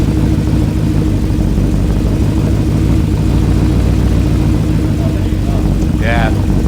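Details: Steady running of a VW Transporter swapped to a twin-turbo Audi RS4 V8, mic set down by the engine. A deep, even V8 rumble with no knocks or misses. It runs fine but needs a tune for its bigger fuel pumps.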